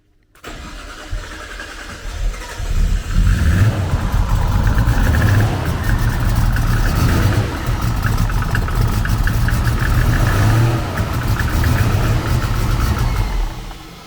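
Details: Nissan Skyline GTR R33 RB26, first start on a newly installed FuelTech ECU, needed full throttle to catch: starter whirs, engine flares then surges unevenly without settling; rough running, MAP sensor not reading, smoke at turbo.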